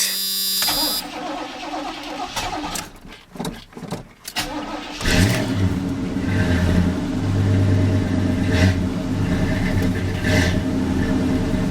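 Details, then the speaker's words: 350SS truck at start-up: a brief rapping knock under the idle until oil pressure builds, then it fades as the engine settles; owner calls it not good, cause unconfirmed. "did a little knocking till she built some oil pressure that's not good"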